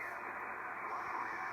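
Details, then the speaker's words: Early Drake R4C tube receiver with 6HS6 mixers, eBay find, filthy, some filters missing, one tube revived by wiggling: band-limited sideband audio with steady hiss, no hum, crackle or dropouts; normal SSB reception. "looks like it's missing a few filters so it's an early model anyway it does receive sideband"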